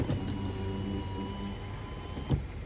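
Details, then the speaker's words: 2011 Kia Sorento driver window with a new window motor and the old door switch: smooth, steady motor whine for a couple of seconds, then a soft thunk as the glass bottoms out; window runs down cleanly, auto and controlled operation work normally. "auto up works good control down's fine"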